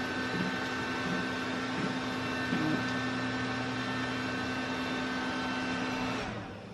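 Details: Desktop PC retested on the motherboard's onboard VGA output instead of the graphics card: fans spin up to a steady whir with a faint hum and no beeps, then wind down. It still does not POST and shows no display.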